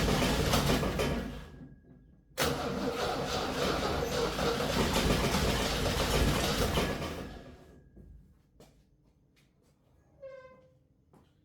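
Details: 1966 Jeep CJ5 long sitting, ignition rewired with independent power wire to coil after spark issue, gas poured in: steady starter churning for several seconds with uneven catches, nearly firing then dropping away; cranks, nearly starts.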